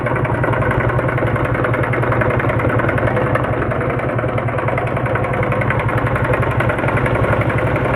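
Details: Honda CD 70 single-cylinder motorcycle engine idling steadily with a fast, light tapping over the exhaust beat; extra engine noise from the top end, with timing chain replacement shown as the repair, possibly a slack timing chain.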